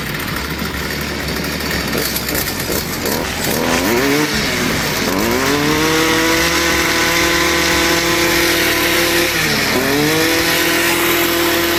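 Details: Stihl 2-stroke trimmer that idled but would not rev, after its carbon-clogged spark arrester screen was cleaned: it climbs cleanly from a rough idle to a high, steady scream, dips once and recovers, so it now revs normally.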